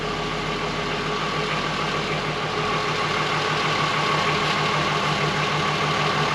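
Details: Mk1 Golf VR6, first fire-up after fitting the correct starter: steady, even, smooth idle with no misses or ticking once the unconnected brake booster vacuum outlet (air leak) is sorted and the engine restarted. Runs cleanly.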